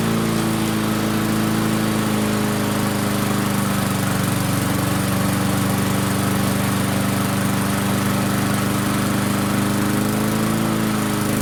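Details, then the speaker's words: Barn-find Murray push mower with Briggs & Stratton engine, running on the shop bench after drill cranking: screams at a steady, too-high speed with a fast even buzz. Overspeed from a wrong governor spring; fix is unwinding the spring slightly to lengthen it. "See if we can't slow that engine speed down just a little bit. It really wanted to take off on us."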